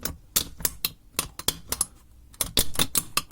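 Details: VW Golf 4 crackling near a wheel over small bumps at minimal speed, heard in cabin: sharp irregular plastic clicks in short bursts; missing/loose fastener lets the wheel-arch liner move on its stud and rattle.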